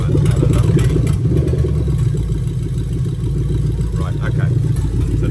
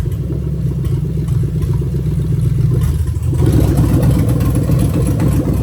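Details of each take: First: Lexus LS430 2000-2003 3UZ-FE VVT-i V8 with new harness at idle, oil control valve test on bank 1 forcing cam advance and retard; deep, uneven chuffing pulses about three or four a second, lumpy idle expected from the test. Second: Lexus LS430 2000-2003 3UZ-FE VVT-i V8 with new engine harness, drive-by-wire test: accelerator pressed from idle; steady low idle then clean rev pick-up, no misses or clatter, normal throttle response.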